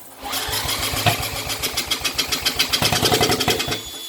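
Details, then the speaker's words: 1980s Honda ATC200 three-wheeler, revived after years parked: sharp single-cylinder pops settle into an uneven run for a few seconds on starting fluid, showing compression and spark are present. "It's running. Yay! She runs!"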